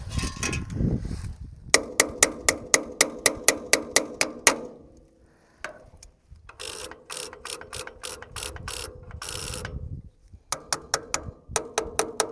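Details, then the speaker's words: Tractor on a weak battery around 11 volts, with a fuel leak: bursts of sharp, fast metallic clacking about four a second during cranking; owner suspects the starter just fried, solenoid doubted, starter looks loose. "yeah that starter sounds like that starter gave up the ghost just then which stinks"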